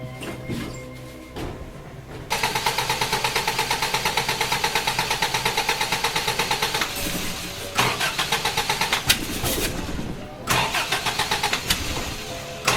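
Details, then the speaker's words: Toyota Hilux with electronic ignition instead of points, restarted right after idling fine: starter spins evenly about three beats a second but never fires; crank no start, owner suspects lost switched 12 V feed to the ignition coil. "all right well what I think is happening is that I've got to issue with my constant twelve volts that is keyed switched to the ignition coil because you can hear it like there is no starting like while I'm cranking the motor there is no starting that motor whatsoever"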